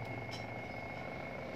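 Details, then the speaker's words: Washing machine spin-dryer motor that wouldn't spin, tested with a substitute capacitor: quick steady whir with clear high tone, no labouring. Motor runs normally at full speed, so the fault is likely the old capacitor, which looks physically deformed. "muternya kenceng hai pertanda kalau dinamonya ini normalnya"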